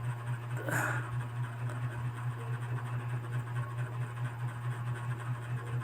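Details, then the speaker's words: Toyota Corolla 4A-FE after ECU found faulty for no-start with no check engine light, now repaired; short crank, catches and settles into a low, steady, even idle. Normal start and idle, problem solved. "Ayun, umandar na. So okay na po, problem solved."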